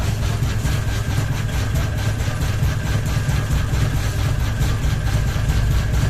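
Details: Ceiling fan running with only one blade and a ball hanging: low uneven thumping pulses about once a second over the motor hum; unbalanced rotor wobbling as it turns.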